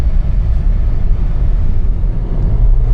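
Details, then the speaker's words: Kia turbo engine on a road test after a boost leak was repaired, where the dealership had quoted a turbo: deep rumble pulling evenly through the gears, smooth power band, no stumbles or misfires. "All right, it's rolling through the gears so far. That was good power band right there. Nice and smooth, like no misfires,"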